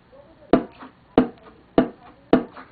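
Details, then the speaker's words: Electric vacuum pump check valve tested by sucking on the port: four crisp single clacks about 0.6 s apart as the internal flap valve seats, with no air leaking back through the motor; check valve works normally. "I'm just sucking in, and you can hear the flap valve inside closing, and when it does, there's no air that can leak back through the motor."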